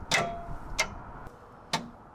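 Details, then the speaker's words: CAT 3306 diesel swapped from an excavator into a 972G payloader, key turned before first start: three sharp clicks from the fuel shutoff solenoid on the cover, but the injection pump is silent; wiring needs work. "yeah it's this solenoid on the cover that you have off phil but i didn't hear the inject nothing going on in the injection pump"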